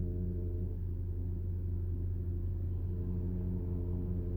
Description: A vibration from the radial-piston tandem pump used to provide the hydraulic pressure for PDCC system in many Porsche cars - CAYENNE, PANAMERA, 911 etc.